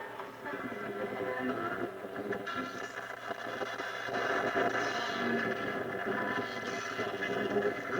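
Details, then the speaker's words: 1935 Silvertone Model 1968 13-tube radio after recapping and new power resistors, on reduced 80 volts and not yet tuned: faint music and voice with occasional crackles from nearby thunderstorm lightning, no hum or squeal. Playing properly. "it seems really good some of that static is uh lightning we got some thunderstorms going on"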